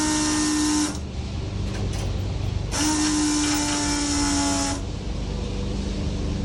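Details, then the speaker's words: Foxbody Mustang with Holley EFI during first start-up prep: fuel pump relay jumped to power the pump directly, bypassing the ECU. Steady, smooth electric whine that drops out and returns, no rattle or surging. Normal priming, reaching 50 psi fuel pressure. "we're gonna put power to it and what I'm gonna do is I'm gonna jump out the fuel pump relay so I don't have the ECU or anything on"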